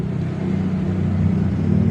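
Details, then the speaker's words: Suzuki Hayate scooter with lost ignition; switch's negative line found dead, so jumpered from negative: steady starter whirr with low churning rhythm, no firing catches or rise in speed; engine cranks but will not start. "saya coba jumper dari arus negatif ini ya dari negatif ini ke sini saya coba starter nyala tapi mesin nggak mau hidup ya"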